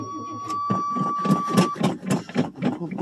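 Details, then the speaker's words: 1985 Chevrolet Suburban, cold start in snow after sitting a month and a half: warning buzzer, then slow labored uneven cranking around 220 strokes a minute that won't catch; weak battery, owner goes for jumper cables or a charger. "don't sound very good uhoh well better is going to hold [Music] up bu nope looks like I'm going to have to take and find some jumper cables or battery charger"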